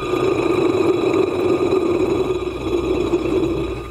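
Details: Front rotor bearing from the 3-phase induction motor of a combination milling machine, spun by hand after disassembly: gritty, rasping whirr with a faint ring as it slows; worn bearing behind the motor noise, to be replaced.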